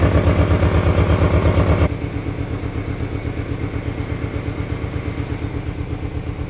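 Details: 1997 Ford Ranger four-cylinder, unused since 2011, fuel pump replaced, new battery, old gasoline and spark plugs not yet replaced: an uneven, chugging idle with stumbling pulses that sounds like misfiring. Rough idle.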